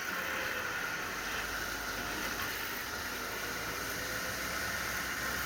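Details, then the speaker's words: Willys Jeep on a road test after fixing the driveline yoke issue, covers off so louder than normal. A steady road and driveline rush with no squeal, whine or the previous loud noise. Normal drivetrain. "so as you can hear it seems to be something much better there's none of that crazy noise we had previously which is excellent"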